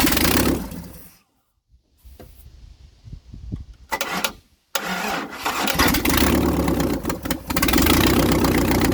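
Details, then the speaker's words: 1956 International R180 with a junkyard 454 V8, first start, open exhaust. Cranks, stumbles, then catches into a loud steady rumble. No smoke; sounds like it's hitting on all eight: normal start and idle. "I mean Jesus there's no smoke at all it sounds like it's hitting on all eight which really shocks me"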